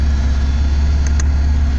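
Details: 1988 Mercedes 300SE inline-six, about 309,000 miles (possibly nearer 400,000), with a new fuel pump, new water pump and fresh gas. Just after starting it holds a steady, low, even idle with no misses or knocks: healthy.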